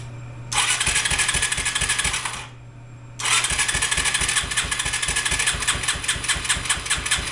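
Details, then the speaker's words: Yamaha 225DX three-wheeler, original factory carburetor, run on a jump pack with a short, poorly fitting fuel line. Single fires, runs ragged two seconds, dies, catches again and chugs unevenly; stalling, owner says still has carburetor issues. "I'm going to say she still has some carburetor issues so we're going to dig back into that"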